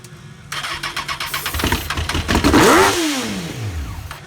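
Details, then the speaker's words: Honda CBR FireBlade, 25,000 miles, 150 psi compression, after restoring spark, airbox back on: cranking then catches on sprayed starting fluid with a rough burst and quick rev that rises and falls away. "I was so excited that I threw back on the airbox and called my friend over and he sprayed starting fluid while I cranked the bike and this is what happened"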